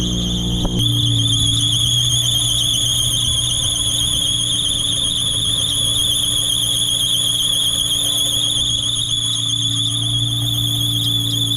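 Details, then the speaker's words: Nissan 350Z (300 hp), at startup with clutch in: piercing steady high squeal over idle from the front of the engine, happening every start recently and lasting a while; owner suspects a belt, cause unconfirmed. "I think it's that belt right there. I don't know. I can't tell. But like recently, every time I start the car, it's been doing that."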